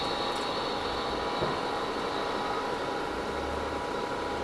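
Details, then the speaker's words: Tsugami grinder hydraulic system after drain, seal and refill with fresh oil, first run of pressure oil pump; smooth constant hum, no knocking, surging or grinding, actually sounds pretty good. "actually sounds pretty good"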